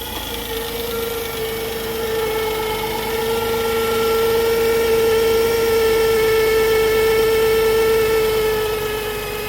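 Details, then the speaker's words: 2004 Chrysler Pacifica, about 150,000–180,000 miles, cold start at idle: loud steady whirring hum at one pitch that fades as it warms; alternator still charging, suspected worn alternator bearing, to be replaced. "It's making a weird noise, like a humming, like whirring type noise."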